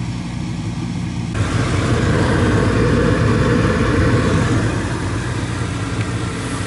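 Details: Old gas furnace blower that had been noisy and buzzing with a burning smell, heard after the blower motor was removed, oiled, cleaned and blown out with compressed air: a steady, even airflow rush and low hum with no squeal or grinding, running normally.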